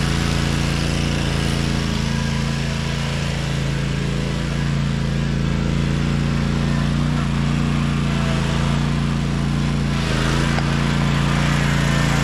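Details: 2012 Toro Timecutter SS 5000 zero-turn with Kawasaki twin, engine cover on, after fixing the rockers and adjusting the valves: a smooth, even, steady hum with no misses or knocks, now running on both cylinders.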